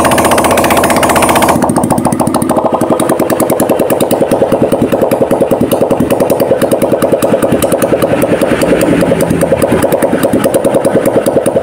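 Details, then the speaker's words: Honda Vario 150 LED scooter, coolant mixing into engine oil, refilled with used oil and full radiator, after start: steady even idle with regular beat, no knocking or misses; radiator water calm, normal idle, mixing still to be checked. "airnya tenang enggak maceratcati untuk kpaknya aman ya"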